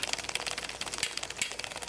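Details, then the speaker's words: Cannondale Slate bike drivetrain, microphone held near the chain: fast, uneven light clicking and ticking of a loose chain rattle, a sound most often caused by a chain stretching over time despite lubrication. "so if you listen carefully i'm gonna put my microphone here you can hear the chain kind of rattling"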